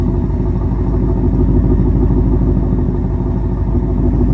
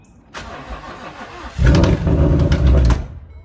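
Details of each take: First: S550 Mustang GT with replacement engine, awaiting final tune: deep, even V8 burble for five seconds, then quieter steady running with no knocks or ticks; sounds healthy, normal running. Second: S550 Mustang GT V8 with a hole blown in its block: the starter churns, then a rough low rumble for about a second before it dies. The owner thinks it failed when it revved all the way up without shifting, and repeated start attempts made it worse.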